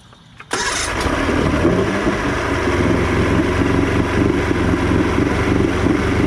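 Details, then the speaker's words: Outboard after carb cleaning on a 50:1 mix: cranks and catches quickly, then runs lumpy. Even after 30 seconds near full throttle it slowly dies at idle, though the primer solenoid works; cause unknown. Finding: rough running, will not idle. "Even after I hit the throttle almost all the way down and got it to run for about 30 seconds, the motor should be warmed up. When I try and put it back to idle, it just slowly dies and kills."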